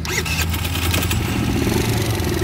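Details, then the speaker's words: Tao Tao Pony ATM 50 scooter, 50cc GY6 139QMB, restarted after a spark check; owner suspects wet CDI wiring caused the breakdown: starter whirr, then catches and settles into a quick, even putter at idle. Runs normally. "there we go running again man i don't know what happened like i said i know it's just the wiring got wet or whatever"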